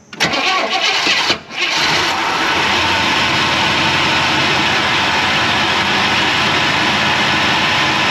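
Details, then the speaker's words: 1994 Chevrolet K1500 Blazer, first start since 2007 after new gas tank and fuel pump, on jump pack: cranks briefly, catches, stumbles once, then settles into a steady even idle with no knocks and no smoke. Normal start and idle. "Fires off the key. Bless its heart. Look at that. Check that out. Not even smoking."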